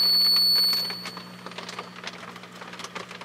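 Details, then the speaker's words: HP 400H with gain raised on an EICO signal tracer while tube is gently tapped: piercing steady high squeal from oscillation cuts off after about two seconds, leaving light tapping ticks. Microphonic tube feedback squeal. "now what it does is it goes into like an oscillation i'm adjusting the volume control on my ico signal tracer i'm not touching anything else on the instrument i don't know if you can hear that squeal"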